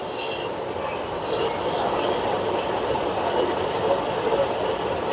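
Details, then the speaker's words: Whirlpool stacked washer test run after replacing direct-drive transmission that leaked oil from a bad seal; steady even rushing hiss of water into tub, no banging or buzzing; normal quick fill, no leaks. "Pressure builds up in here, sends pressure up through this hose to the pressure switch, which tells it how full to fill it."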